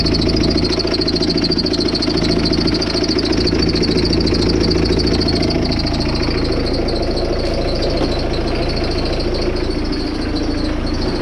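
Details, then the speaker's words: Ford Focus mk2 engine idling after front-right suspension and timing belt work: steady ticking chatter about three and a half per second over the idle from a crooked pulley running out of line. "Vo la jolie poulie qui est en train de la jolie poulie qui est de travers."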